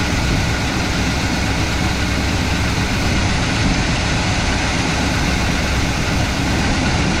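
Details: IHC/Blazer wrecker, previously no-start, after battery recharge and timing adjustment: steady low-rumbling V8 idle, even and unbroken with no misses or stumbles.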